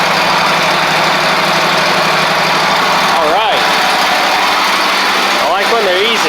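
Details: Ferris stand-on mower, Briggs OHV twin, after fixing a one-cylinder misfire: steady, even idle, smooth low hum, no skipped beats; both cylinders firing, engine healthy.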